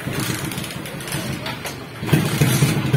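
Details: Suzuki Smash 115 single-cylinder motorcycle that idles fine but won't take throttle: uneven stumbling exhaust note breaking up and popping as throttle opens; badly misfiring when revved.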